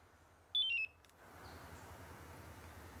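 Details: Compustar aftermarket remote start remote: a quick run of short high chirps stepping downward in pitch, then quiet, as the remote confirms it has left settings mode.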